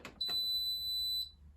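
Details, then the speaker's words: Hotpoint WMBF 742P washing machine with door interlock fault, motor not spinning on 14-minute cycle: clicks then one steady high beep about a second; fault signal, owner suspects interlock wiring incorrect. "So I suspect my interlock wiring may not be perfect or correct."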